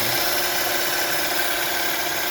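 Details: 2011-2017 Honda Odyssey 3.5 V6 after power steering pump rebuild with new bearing and seals, bleeding air from the system: even steady idle with soft hiss, no whine or bearing growl; normal idle.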